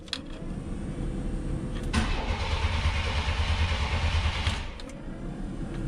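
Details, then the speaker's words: 1993 Chevy Cheyenne OBS work truck right after a tune-up with corroded, taped wiring; starter churns about three beats a second with no catch or firing. "yeah it doesn't run now that's neat really bizarre that's not starting"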